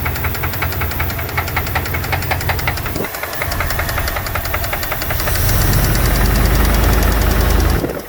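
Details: 2002 Dodge Dakota 4.7 litre at idle: regular sharp ticking at roughly two and a half per second, keeping time with the engine; owner suspects lifters or piston slap, unconfirmed.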